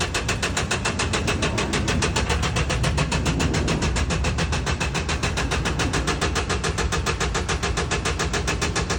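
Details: Mercedes Sprinter diesel van engine running: steady, fairly even tapping knock at about 3.5 per second over the engine note; engine knock, cause unclear.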